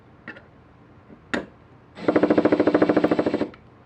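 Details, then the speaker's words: Makita DHP481Z/XPH07 combi drill: rapid, even hammer blows, about thirteen a second, over the motor whir; normal hammer-mode action, though the defective unit also hammered in drill and driver modes, suspected internal transmission fault. "you can hear that it's bumping and that is the actual hammer drill in action"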